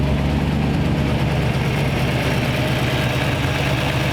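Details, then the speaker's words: 1934 Ford Tudor with small-block Chevy, first run after 50 years of storage, fed from a tank straight to the carb: steady low even idle with a smooth beat, no knocks or misses, some smoke; running cleanly. "but it's sitting there idling"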